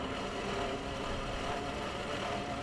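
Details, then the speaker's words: $800 Volvo V70 wagon, engine idling, hood open: steady rough grinding over even idle from AC compressor clutch, sound changes dramatically when a screwdriver is jammed in; AC compressor clutch grinding. "the horrible grinding sound at idle which i will now add back into the video yes that's what it sounds like luckily i know what it is it's the ac compressor clutch"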